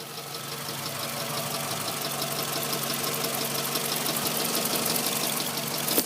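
Light, crisp ticking repeats roughly three times a second at idle over a quiet engine hum, a steady tick from the top end.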